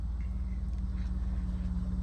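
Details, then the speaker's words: 1993 BMW E34 525i, manual, 58,000 miles, on the road after the steering repair: steady low engine and road rumble with no clunks or knocks coming through the steering. "No clunking now though with the steering wheel sorted and out the way"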